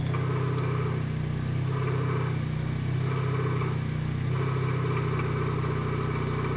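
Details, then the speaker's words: 1999 Toyota Corolla 1.8, cold engine at idle, in gear with wheels turning: soft rhythmic knock about once a second from accessory drive, more knock-like at lower engine speed; power steering pump pulley. "before there it is yeah it sounds a little more like a knock when the engine's slower so I I put it in gear you can tell when the wheels turned the noise"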